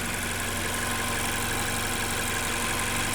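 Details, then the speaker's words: 2015 Mazda 6 SkyActiv, 85,000 km, idling after the knock was cured by replacing the connecting rods; steady even hum with no knocking or ticking, quiet now, a normal idle. "Вроде все поставили. Тишина. Пальцы перестали стучать."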